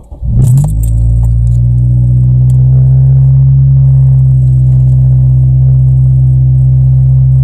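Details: Honda Civic Type R EP3 K20 petrol engine idling with a slight rise and fall in speed, a hunting idle caused by the idle air control valve (IACV) not being free to move; fixed by cleaning the IACV.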